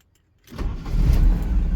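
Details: Silence, then the engine of a 1983 Porsche 944 2.5 catches and fires straight into a steady, deep idle with no stumble; it starts cleanly with the DME relay fed by a bypass wire, because the red-and-blue wire is cut.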